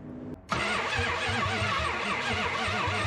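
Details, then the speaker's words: 1972 Chrysler Newport with swapped 440 big-block V8, sat since 2003, cranked with coil and spark tester hooked up: even starter beat about three pulses a second, never catches; no spark from failed distributor pickup, owner also doubts the high-performance coil. "Absolutely nothing. I'm a little concerned about the high performance coil with the regular ignition system."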